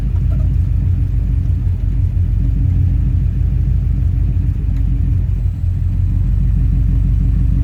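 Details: 2003 Subaru WRX EJ207 with AEM fuel pump and code P1230: lumpy rough idle with uneven surging, jerking and bucking; owner unsure whether the fuel control module, the fuel pump or an electrical fault is to blame.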